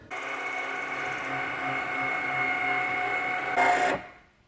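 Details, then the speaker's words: Porsche 997.2 Turbo S fitted with an aftermarket electric wing actuator kit replacing the factory hydraulics. The spoiler switch is tapped, the orange LED lights, and the wing raises with a smooth, even motor whine for about 3.5 s, then a clean stop. No warnings, normal operation. "Note the orange LED comes on right here, and now the wing is up. No warning. Everything is okay."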